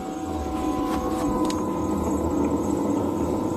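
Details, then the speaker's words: 1989 Jeep Cherokee XJ Renix 4.6L I6, in-tank fuel pump run via jumpered relay (30 to 87) to drain tank: steady high-pitched hum and whine, no surging; pump running full-tilt, healthy. "there we go it sounds like a pump so you hear that thing going full-tilt"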